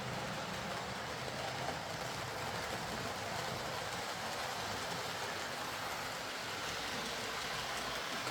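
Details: Hornby R.372 Class A4 "Seagull" model locomotive, tender drive, running after repair: even, quiet hiss with faint steady whirr, no knocks or stutters. Stop-start running was likely from excess axle oil spoiling electrical pickup; the mystery noise was traced to the valve-gear parts. Runs fine and quiet.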